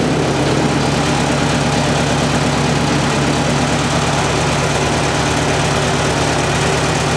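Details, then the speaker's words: Ford 8N tractor after Marvel Schebler carburetor rebuild, idle jet deliberately turned off its setting with a screwdriver: loud low idle with an uneven, wavering beat about twice a second; idle flutter from misadjusted idle jet. "did you hear the tractor flutter down there you don't want your tractor to sound like that at all so keep tuning this idle jet is easy to do with the screwdriver"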